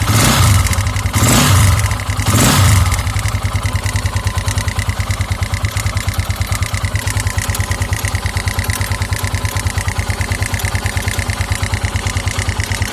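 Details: 2009 KTM EXC 450 single-cylinder at idle, oil level checked: even clack about three per second, suspected cam chain tensioner, with a lighter irregular tinny tick of unknown cause that sometimes stalls the engine, fading when warm or with throttle; owner doubts the rod.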